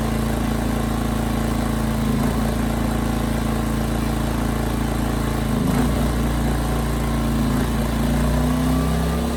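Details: 15-month-old Ryobi RYI2300 inverter generator running after spark plug replaced, speed dipping and rising slightly: mild surging under light load, problem unchanged; it also stalls under heavier load, carburetor suspected and to be replaced.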